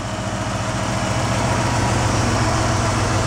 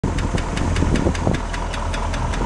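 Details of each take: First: International 345 V8, freshened engine after new lifters fitted for lifter noise, good oil pressure: deep even idle with steady low rumble and only occasional faint tap at idle; running smooth. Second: Freshened International 345 V8 at idle: crisp, light, even tick about five times a second over the idle; noisy lifter.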